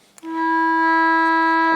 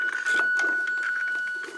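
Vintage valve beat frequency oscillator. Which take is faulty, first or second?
second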